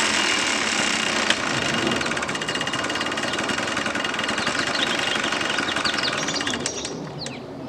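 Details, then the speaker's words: 1989 Yamaha Blaster 200 two-stroke ATV, revived after sitting 15 years, now warm. It burbles unevenly with a ragged, blubbery beat, running extremely rich. The jets are set for sea level up to roughly 2,000–3,000 ft and the machine is running at 3,800 ft. "Now, this is why the first start isn't always the best thing, because I apparently have this thing set so rich on the jets that it started up really good while it was cold, and now I've tried to warm it up a little bit and it's running extremely rich."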